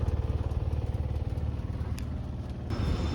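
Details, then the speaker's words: Outdoor condenser of a split AC system after replacing a storm-damaged thermostat: steady low throb about 220 per minute, even unbroken run, suction line sweating cold. Normal running. "okay guys back outside as you can hear that condenser is running that's good"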